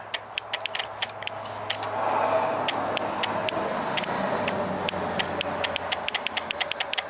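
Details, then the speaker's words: 2001 Toyota Avalon 1MZ-FE V6, 87k miles, bank 2 oil control (VVT) solenoid removed and energised on the bench: sharp, solid, repeatable clicks over faint hum; solenoid moves and appears operational. "Seems to be operational. Nice solid click."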